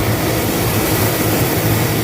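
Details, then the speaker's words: John Deere combine after a new sprocket was fitted and the squeaking tailings chain slightly tightened: steady, deep diesel rumble with an even drone, no squeak or knock, running normally. "I think we are good there. Don't hear that squeak. I did tighten up."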